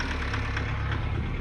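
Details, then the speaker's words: Foton Tunland diesel after parts cleaned, with air in the fuel system: idling rough with sharp knock about every quarter second, smoking from exhaust; slightly better, owner suspects injectors need replacing. Diesel knock at idle. "she sounds slightly better but you can still hear the diesel knock over there"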